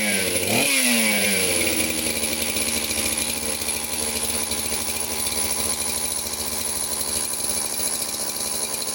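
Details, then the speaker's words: Chainsaw with carburetor jets fully open, brake cleaner sprayed to find an air leak, owner suspects base gasket or crank seals: fires and climbs fast to a screaming high rev that won't settle; high revving, cause unconfirmed. "um you could hear it starting to rev way up the jets on this carburetor are cranked all the way open just so that it won't rev it and you know potentially damage something"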